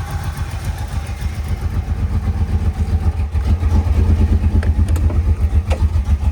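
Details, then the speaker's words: 1998 Camaro, owner says he spun every bearing, though oil pressure is good and it ran fine cold before: rough, low, pulsing idle with a dull knock under the exhaust, spun-bearing knock. "Yeah, it has a cam. It has the, I spun every bearing inside the motor cam."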